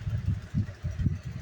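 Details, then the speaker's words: Very old Lasko box fan running in a garage: low uneven thumping about four times a second under a soft hum, doesn't sound good, running rough. "this does not sound too good but it's alasco box fan extremely old"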